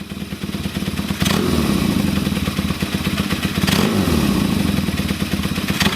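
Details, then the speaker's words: Kawasaki KZ400 with Mikuni VM30 carburetors and new DNA filters, before tuning: each very fast throttle snap swells then the revs sag and nearly die before recovering, while slow inputs sound fine. "so gagging it as you can hear wants to kill it that's a very very fast throttle gag um slow throttle inputs it sounds amazing"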